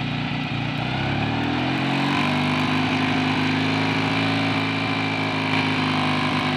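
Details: Rebuilt BSA A65 parallel twin, hot after test ride, oil pressure gauge fitted reading low yet the 7 psi warning light stays off: pulls up smoothly from idle to a steady 3000 rpm, firing even and clean; normal running.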